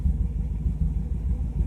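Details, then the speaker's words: Car at cold start with stock mufflers burned out and no catalytic converter, pipe clamped in its place: deep, loud, uneven burbling rumble at idle; worn-out mufflers, no catalytic converter. "that's stock Mufflers on this car they're just that worn out that burned out it has no catalytic converter didn't have one when I got"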